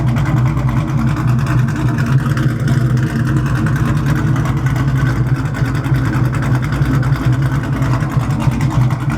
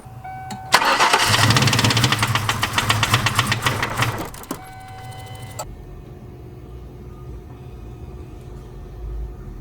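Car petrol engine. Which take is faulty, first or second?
second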